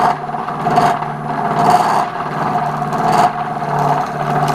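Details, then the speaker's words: Lathe turning a hybrid oak and cast resin platter: steady whirring hum with a buzz that swells and fades about every second as the tool bites. The cut chatters, vibration picking back up. "you still hear that vibration and see what we're getting actually picked more back up it didn't work the way i wanted it to"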